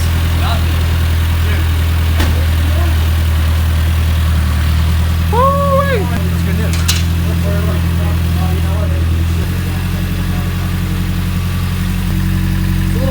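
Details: Nissan 240SX S13 with SR swap, first start-up, owner hoping for no more chain knock: steady, even low idle with no rattle or slapping from the front of the engine; timing chain quiet, normal.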